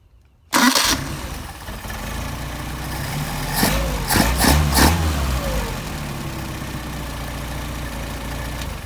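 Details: Solex carburetors after idle set around 700–760 rpm and linkage adjusted so idle does not change: hot start with a short crank, immediate firing, a couple of quick revs, then a smooth steady idle; normal hot start.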